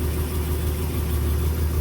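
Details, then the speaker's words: Ford truck just started before warm-up, after an oil pan gasket fix for oil leaks, running 15W-40 diesel oil: low, steady, even idle rumble with no knocks or ticks; sounds much healthier, motor quiet. "yeah right that sounds so much healthier sure wow no the motor is actually quiet sure"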